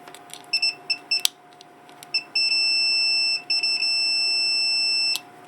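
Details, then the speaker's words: 1984 Corvette Cross-Fire Injection fuel pump relay bench-tested with a multimeter, unpowered, coil 56 ohms across B and C: a few short chirps then a steady beep about three seconds between A and D; contacts closed, continuity normal. "so you should have continuity without anything without any power at all between a and D she's have continuity between a and D I"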